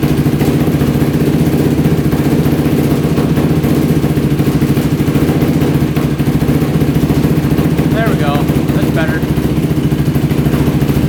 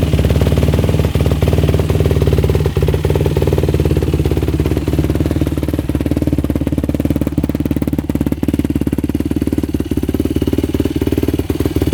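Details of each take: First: Yamaha YFZ450 quad at its first start on choke, using a jumper pack, gives a loud, busy idle that wavers and struggles. The pilot is suspected slightly rich, and raising the idle and turning in the fuel screw helped. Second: 2005 Yamaha YFZ450 single-cylinder race quad on a yard test ride after repair, warmed about five minutes, revving out fully in first gear: crisp, even firing with no knock or rattle, no smoke, no overheating; engine running healthy.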